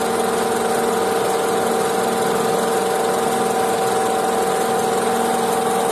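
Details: Honda CR-V at idle, traced with a stethoscope from under the lifted car: a faint, constant mid-pitched whir above the engine and fan; worn belt tensioner pulley bearing, fixed by replacing the bearing.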